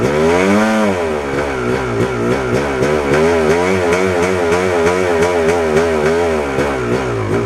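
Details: 1997 Yamaha YZ250 two-stroke, warm, runs ragged at eighth-to-quarter throttle with clutch in, pitch wavering and stumbling; sputter comes quickly. It won't idle unassisted; owner suspects crank seal or carburetor throttle connection, cause unknown.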